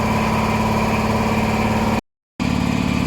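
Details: 400V V-twin air compressor after repair, with heads, air filters and pipes refitted: steady, even pumping at about 214 strokes a minute with a constant hum, building pressure normally.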